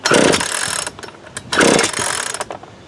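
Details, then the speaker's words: Worn-out Craftsman chainsaw bought for parts, no muffler, only backfired earlier, nothing with ether: two pull-cord rips spin it freely with no firing; no-start from next to zero compression. "Because I did get it to, it backfired a little bit down in the basement. It just has like next to zero compression."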